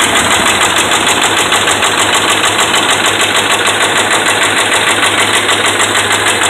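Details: Dodge Ram 5.7 Hemi with bad connecting rod and crankshaft bearings: loud engine with a regular deep knock about two per second.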